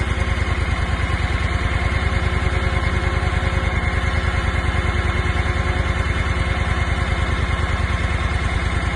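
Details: Honda engine on a 1.75-yard portable concrete mixing trailer, just started with choke pulled and cooling fan on; steady, even low thrum with regular firing, no knocks or misses; clean healthy idle.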